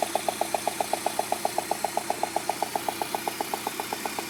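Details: Peugeot 106 GTI petrol engine at idle, head done 3 months earlier: sharp even tick about four times a second; knock came back after rocker covers refitted, traced to a failed 4-month-old (5000 km) spark plug.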